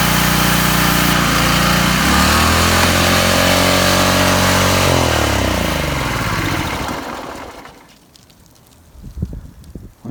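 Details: Small engine after draining watery, gummy old gas and cleaning the carburetor: runs at steady, even speed several seconds, then winds down and stops; smooth firing, no misses.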